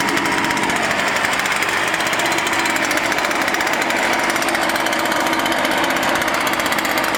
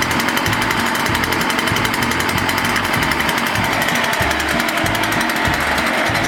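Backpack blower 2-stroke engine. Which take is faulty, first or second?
second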